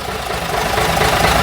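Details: Routemaster bus RM1009's original AEC diesel just started via the toggle, idling as the gearbox-pressure and brake warning lights go out; deep, even rumble swelling slightly with throttle, no knocks or misses, sounding very different from a Cummins; normal healthy idle.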